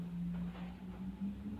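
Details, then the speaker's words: B&C 1000 W wind turbine with GTI 2000 W inverter in 30 km/h gusty wind, steady low hum rising as the rotor picks up, no vibration after load was reduced at 23 V; running normally. "So you can just about hear it cranking up, but it's nice and normal."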